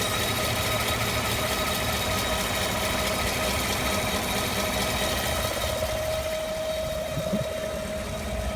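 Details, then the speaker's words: 2015 GM 5.3L V8 truck, 8k miles, idling, mic near passenger-side headers, belt ruled out; light uneven tick over rumble, owner suggests normal lifter noise, source not pinned down. "It's not coming from the belt. This is what normal lifters sound like."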